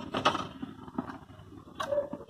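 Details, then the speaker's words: Small IC amplifier produces irregular scratchy crackles and rattling bursts through the speaker as soon as it is switched on, along with the program audio; fault still to be diagnosed. "ये of कर दिया मैंने, ये on करा, on करते ही gutter gutter gutter आवाज़ आ रही है। ये प्रोग्राम के साथ साथ ये आवाज़ आती है इस एम्पलीफायर में।"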